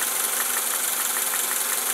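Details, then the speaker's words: 1990–93 Honda Accord, probably a 1991, heard through a stethoscope on the valve cover at idle while waiting for the fans to kick on; quick, light, regular ticking over a hissy idle, confirming valve lash out of adjustment. "and uh I can hear the uh the valve lashing sticking up here that verifies that for me"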